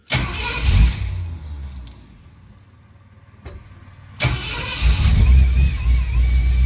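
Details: 1928 Model A with supercharger and fuel injection, started from inside with a little gas: cranks, catches quickly and settles into a steady, even idle with good oil pressure; healthy start.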